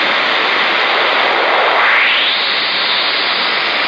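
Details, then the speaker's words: 10-meter rig on a 15th-floor oceanfront balcony, Garden City Beach, South Carolina, often after a frequency change. Loud steady hiss with a short rising chirp. Owner suspects something like a rotating radar transmitter; unconfirmed. "I've never heard that before. It almost sounds like some sort of rotating radar transmitter or something sweeping by here."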